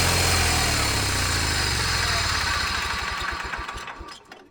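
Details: John Deere 318 garden tractor, revived from non-running: even, steady engine beat with the front PTO pulling, runs smoothly, then slows and dies away cleanly at shutdown. Normal running.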